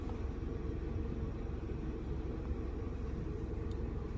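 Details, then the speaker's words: VW Polo petrol after new spark plug and coil refit for P0301 cylinder 1 misfire and stalling after 10 km; faults cleared: steady, even low idle with no misses, stumbles or skipped beats; engine silent, healthy. "ये engine भी देख सकते हैं। Engine भी silent है पूरा। कुछ problem नहीं है।"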